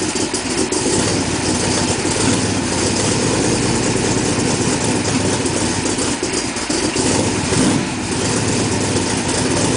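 Even, unbroken running with a steady rhythm and no stumbles or tapping; a clean, healthy idle.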